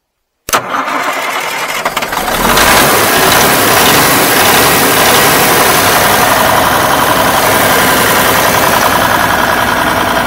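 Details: Western Star truck left sitting for years; it was pumping good before cranking: brief crank, then it catches into a loud, harsh, uneven clatter. Rough running after long storage.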